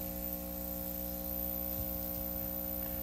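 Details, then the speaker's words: 1931 battery charger, about 93 years old, stepped up a tap under charging load at about 2.5 A: steady, loud electrical hum with coarse buzzing edge as the transformer growls, sounding angry and straining. "It's actually making connection, which is kind of surprising for something that's so bad. Okay, let's see what happens here. Ooh, it's starting to sound real angry."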